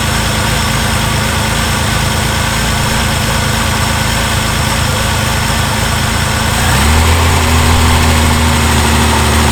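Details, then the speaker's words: Reliant Scimitar with Ford engine at idle after tappet adjustment to spec, oil topped up and plugs cleaned: light metallic ticking about four per second, characteristic Ford tappet rattle persists; exhaust gasket considered, cause unconfirmed. "it definitely does sound like that characteristic Ford tap rattly noise but well we just went through it it should be running like a sewing machine right now"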